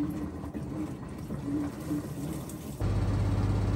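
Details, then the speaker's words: Maytag Bravos top-load washer on the final spin at full speed. Low hum builds to a steady, even drone with no thumping or wobble. Smooth, healthy spin for max water extraction. "Okay, now we're up to full spin speed on the final spin. It's spinning extremely fast, which is great for max extraction of the water out of those clothes."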